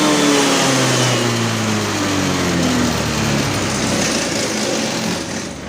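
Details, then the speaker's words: Honda Vario LED scooter on MST autoscan, idle about 1300 rpm, temperature 75: light buzzy note sags and wavers on throttle instead of climbing cleanly, felt around 4000 rpm during ECU mode change; hesitation from ECU fuel cut. "jadi kenalan itu dari mode1 kedua dan kesatuan di perpindahan modal satu kedua itu terasa seperti ada yang mpost Hai itu sekira d4000 RPM ya"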